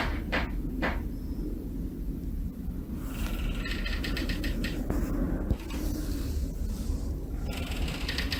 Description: The Australia 108 Apartment in Melbourne making loud creaking noises due to incorrect construction techniques.